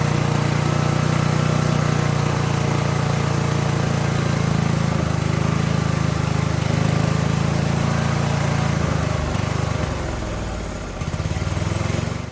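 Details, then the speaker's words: Briggs & Stratton 18 HP Vanguard, replacement fuel pump: a steady, even note holds speed about ten seconds before winding down, with the choke held open and the throttle actuated properly. It runs smoothly. "So as soon as I did the combination of holding the choke open and actuating the throttle, she ran great."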